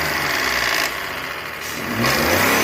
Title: MAIS UM COM BARULHO NO MOTOR. SANDERO/ LOGAN 12V 3° CILINDROS